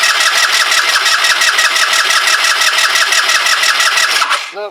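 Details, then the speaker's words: Kymco Agility 125 scooter, newly refitted with wheel and exhaust, cranks in even pulses about three per second without firing though the pump feeds the carb; owner wonders if the timing is out, unconfirmed. "she ain't gonna go I wonder if it's time in related we've got the timing us about face somehow"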